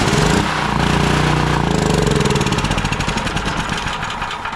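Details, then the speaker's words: Long-sitting Predator 6500 W 420cc generator, air cleaner off, starting fluid sprayed into carburetor: catches and runs briefly then slows into separate thumps and dies; fuel starvation from bad carburetor. "fires right up on the starting fluid and Dives back out so that means that we're not getting any fuel to the engine in order for it to turn over"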